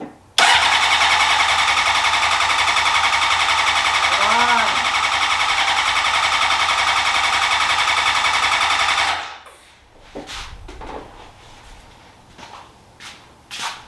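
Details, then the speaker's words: 2003 Honda CBR600RR, first start attempt in 18 years after a new ECM, fuel pump, relays and battery. Steady starter cranking at about four beats per second for nine seconds, never catching. Smells of gas; owner suspects injectors stopping; cranks but won't start. "Smells like gas in there. Sounds like the injectors are just stopping. I mean, I don't know why it's not."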